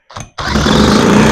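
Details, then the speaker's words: Johnson Seahorse outboard with carburetor just reinstalled, started with a drill, no choke, possible lack of fuel; short cough then rough running for about a second before dying; starts then dies, cause suspected, not confirmed. "sounds like it is trying it's getting better I think no joke do we need more speed on the drill well that was really quiet so why isn't it why doesn't it keep"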